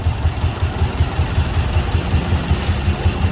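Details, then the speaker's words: Toyota Vios 1NZ engine with the A/C on and no warning light on the dash: lumpy idle with a regular stumble near three beats a second and heavy shaking; a misfire from rodent-chewed ignition coil wiring (two sets bitten). "นี่ชัดเจนเลยนะอันนี้อีหน้าเป็นสาเหตุที่เครื่องยนต์เดินไม่สะดวกเดินกันเดินสะดุดนะครับสรุปเกิดจากน้องหนูน่ะทำการกัดสายไฟนะ"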